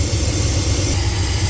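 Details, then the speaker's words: 1989 Chevy G20 van idling after alternator replacement, charging 14.2 V: steady, even low rumble without knocks, chirps or bearing whine; problem gone, normal idle. "So, alternator's back in and my problem has gone away."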